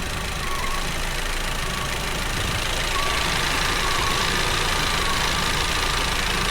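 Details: 2019 Audi TT 2.0 TFSI, about 50,000 miles, engine light and hesitation: rough, uneven idle with an irregular stumble under a loud hiss, about three beats a second; cylinder 1 ignition misfire at idle, scope-tested at the coil.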